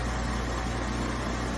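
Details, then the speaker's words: Portable air conditioner running after repair in a 93-degree garage, blowing cold air: steady, even whoosh over a low constant hum with no rattle or scraping; normal running. "Cold air hitting me in the face. Oh my gosh."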